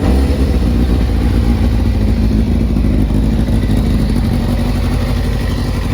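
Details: 1997 Kawasaki ZZR600 (ZX6) four-cylinder after carburettor rebuild and balancing, not fully warmed up: loud, even, low drone without misses or popping; running cleanly.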